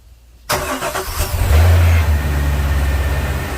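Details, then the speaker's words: Volvo Penta 6.0 marine engine, first start after a head gasket install, on a water hose: fires after a short pause, flares once, then settles into a steady, even idle with no misses or knocks; no leaks or alarms. "it sounds good i don't see any leaks down here anywhere looks good over here too you got no alarms"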